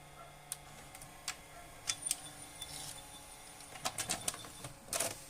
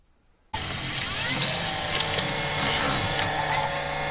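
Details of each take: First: Panasonic HD100 VCR under repair for drum noise: loads a tape smoothly after the fix, with a run of light clicks and ticks over a faint motor hum; normal tape loading. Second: Panasonic HD100 VCR after repair, tape now loading smoothly: steady, hissy high whir starting abruptly as the head drum spins up, rougher than normal; abnormal head drum noise.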